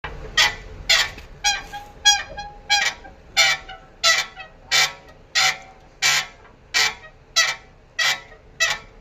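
Rhythmic high-pitched squeaks, about one and a half a second, from a worn, loose suspension spherical bearing.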